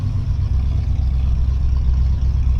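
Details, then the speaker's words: 1986 Chevrolet Suburban, 305 small-block V8, 700R4 automatic, 54,808 on odometer, first cold start, needs tune-up: low, uneven idle wavering and sagging as if about to die; rough idle, cause not pinned down. "it's not running so great right now really needs a tuneup but we're going to try to limp it home"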